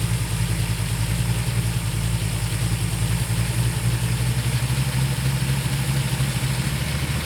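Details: 390 Ford Torino GT V8 with the points plate reinstalled and the vacuum advance adjusted gives a deep, lumpy, wavering idle that never settles. The timed spark port shows vacuum with the idle screw fully out; owner suspects the accelerator linkage is holding the throttle open.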